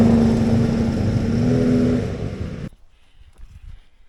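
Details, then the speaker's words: Vintage Polaris XLT triple two-stroke snowmobile after summer storage and carburettor/airbox work: loud rasp but revs stay flat and never climb, then cuts out; bogging, though all three cylinders shown firing; cause unknown. "well that was a disappointing test run Mega bog but uh I got out the thermal camera to make sure I wasn't just down a cylinder"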